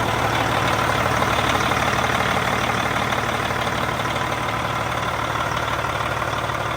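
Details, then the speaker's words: Detroit 60 Series diesel truck idling steadily with even clatter, no belt squeal or slap, after fitting replacement belt tensioner; fan clutch not engaged because air line is open. Normal idle. "Well, guys, right now it seems to be working good. Now, there isn't any air pressure applied to the fan engagement yet, to the fan clutch itself, so it's not really trying to spin the fan, and that's because I got an open air line right here."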